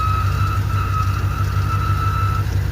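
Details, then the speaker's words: Chevy K1500 with throttle-body-injected 350 V8 (AutoZone reman, 6,000 miles, sat almost a year): steady high-pitched squeal over lumpy deep idle, seemingly from front of engine; present for years; good oil and oil pressure. "it's made that noise for years plural it sounds like it's coming from the front side of the engine"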